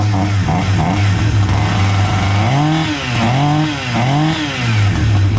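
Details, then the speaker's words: Husqvarna 359 two-stroke chainsaw, sat for two years, after a carb kit, with fresh fuel mix and the original plug: fires cleanly and blips up and down through several even revs with crisp pickup and no bogging. Normal running. "we're getting about ready for a test run and if it starts then that's all I'm going to have for you in the huskvarna 359 chainsaw that had sat for a couple years and needed a carb kit"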